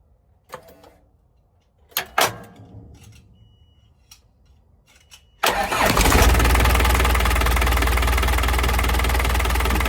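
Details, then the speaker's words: 2000 Nissan UD 1400 diesel truck just after an oil and fuel filter change: sharp cranking bursts, then it catches into a loud, uneven chug of about four beats a second, shaking a little; cause not confirmed. "You are shaking a little bit."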